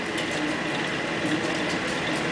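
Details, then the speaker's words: New-old-stock Gentleman Janitor GJ-51 coal stoker, never fed coal, running with mouse-nest debris being spit out around the blower; steady, even mechanical whir with light regular drive ticking, no grinding or knocking, quieter than an EFM stoker: normal running. "A lot quieter than the EFM. You can hear some mouse nest stuff getting spit out of it around the blower."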